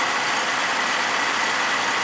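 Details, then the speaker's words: Holden VZ Commodore V6 idling steadily and evenly on all six cylinders; it previously misfired on cylinder 1 due to an internal open circuit in the PCM's injector driver. "listen there it's running on all [Applause] six"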